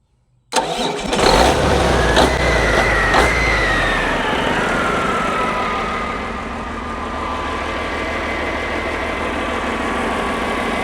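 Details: Rebuilt diesel truck engine after mechanical timing set with timing meter, fuel system primed, first start for customer: catches immediately, flares then settles to steady even clatter with no misfire; normal start and idle.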